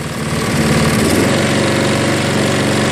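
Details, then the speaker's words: Craftsman 22-inch 6 hp Briggs self-propelled mower after carb cleaning, RPM adjusted up to high: steady, even brisk putter with no misses or hunting; normal idle. "It's high. That's about good."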